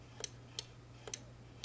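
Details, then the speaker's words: Aprilaire 550 humidifier humidity control being switched off while measuring voltage: four crisp clicks over a low electrical hum, switch contacts snapping properly, though it doesn't appear to switch the unit on downstairs; humidistat switch click. "I turn it off you can hear it click"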